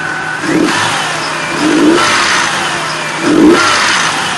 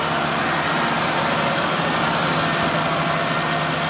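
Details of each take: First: 2004 Nissan Frontier VG33E V6, 183,117 miles, at 113°, idle about 650 rpm: throttle blips with light metallic chatter as revs drop; camshaft hydraulic lifter noise. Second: 2004 Nissan Frontier VG33E V6, 183,117 miles, cold start idling a little above 1000 rpm: even hum with no clicking; lifter noise absent when cold, appears as clearances grow once hot.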